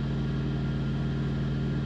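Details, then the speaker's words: Truck APU running normally at the end of a very hot day, after the cab AC quit about 100 miles earlier (AC compressor needs repair). An even low drone with a steady hum and no knocks, misses or surging. "And as you can probably hear, my APU is working, so I'll take it. I will take it."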